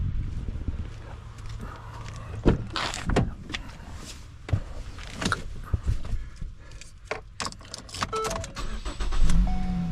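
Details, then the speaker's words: Start of a 2015 Ford Escape with 142,000 miles, after fuses behind the fuse panel were replaced to cure a no-crank no-start: short crank, catches quickly into a steady low idle; healthy start, running fine since, though the owner notes rattling noises developing. "starts right up you can see she's got 142,000 miles on it and it's running like a champ"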